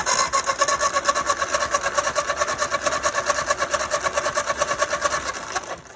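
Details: Ford 9N tractor that sat for five years cranks at about four compression pulses a second without catching; points were just filed and adjusted with good spark, but the carburetor is off, so no fuel supply.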